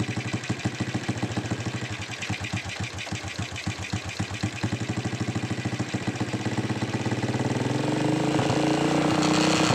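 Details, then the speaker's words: Honda Supra X 125 motorcycle that had a loud rattling "kletek" engine noise, after the repair was assembled and the engine started. The engine settles into an even idle and revs smoothly; the rattle is gone and it sounds normal. "oke ya suaranya itu jadi halus lagi sudah normal kita pasang bautnya"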